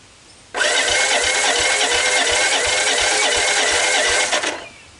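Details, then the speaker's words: Honda ATC125 ATV that developed a death rattle and stalled, cranking on jump pack with choke on and fuel at carb: high whirring starter cranking, never fires; engine appears worn out with low compression. "i got absolutely nothing so where to atv doesn't start you got to start by asking a few questions such as do i have spark"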